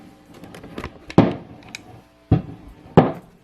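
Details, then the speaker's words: Matamp GT120 tube guitar amp with nothing plugged in: sharp, irregular pops over a quiet hum; failing first-stage preamp tubes, fried by an overly hot modeler send into the input. "yeah whoa did you hear that pop here it's back again that's back again obviously you should be here at nothing with nothing plugged into it so I guarantee you watch us change these preamp tubes and that'll go away completely"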